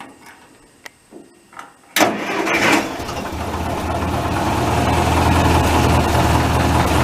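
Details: Massey tractor diesel started after fuel filter change, oil bath air filter cleaning and replacing a cracked leaking line: a few clicks, catches at once, settles into steady even idle; no miss, healthy.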